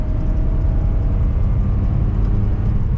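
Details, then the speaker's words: $300 Pontiac G6 with front-end damage, driving in 2nd gear at about 60 mph: a heavy, steady low roar drowns everything else. Suspected bad tire, possibly the rear one; not confirmed. "That sounds terrible. I think it's definitely one of the tires."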